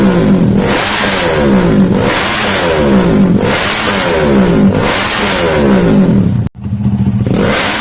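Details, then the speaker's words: SND ZS190 engine, after replacing a snapped exhaust clamp, revved but not at full throttle: revs rise and fall cleanly every second and a half, smooth exhaust note, no knocks or rattles; healthy. "Ini belum gaspol loh Mister ya, belum gaspol, masih Indrayani. Oke, sekarang kita tes suaranya lagi."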